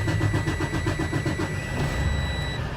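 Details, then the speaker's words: Freightliner Cascadia DD15 diesel restarted right after a fuel filter change: about six cranking pulses a second for over a second, struggling before stumbling into an uneven run; hard start from air introduced into the fuel system. "so you hear that struggle that's not normal okay and again that's just because we've introduced air into the system okay"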